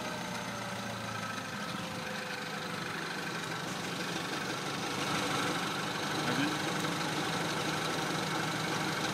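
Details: Suspect engine noise on a DS3 THP 155 petrol with 1200 km on the odometer: steady idle with a faint, fairly regular ticking about three per second riding on top; cause unclear.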